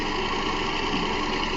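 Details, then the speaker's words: 2010 Toyota Camry 2.5 (2AR-FE) at idle: constant whirring rattle with no knock rhythm, sounding like a timing chain but actually a worn grooved idler pulley; belts, tensioner and idler pulleys being replaced. "You hear that noise down there. Sound like the timing chain, but it's actually a pulley down there."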